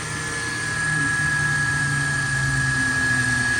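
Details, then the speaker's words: Toyota FJ Cruiser, about 16 years old, 4.0 L V6, idling with hood open: smooth, even idle with faint steady accessory-belt whine, AC clicking on, no misses or knocks; sounds healthy. "There's a 4.0 liter V6. You could probably put a V8 under here if you wanted. I mean, look at all the space you have under the hood of this thing. Sounds pretty good."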